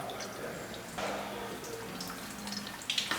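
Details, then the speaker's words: Engine-swapped supercharged Mercedes 190E filling cooling system with water: irregular splashing and dripping onto the floor; coolant pouring out of a water pipe. "that definitely sounds like it's pissing out over the floor where the [ __ ] is that coming from there's a water pipe here which is definitely where all that was coming from"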